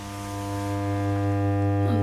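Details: Blackstar HT5R guitar amp, powered on with standby engaged, no guitar connected: loud steady low mains-frequency buzz with clean overtones persists after electrolytic capacitor checks; hum not fixed yet, cause still unfound (amp also had highly distorted output).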